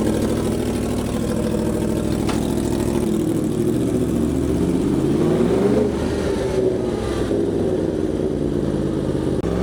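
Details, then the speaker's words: 2025 Yamaha R1 inline-four after spark plug and air filter change: crisp blips that settle back cleanly, no misfire or stumble; sounds better, cleaner, healthy. "It does. The bike looks good, sounds good, running good. It definitely sounds a lot better. Sounds like it's running cleaner."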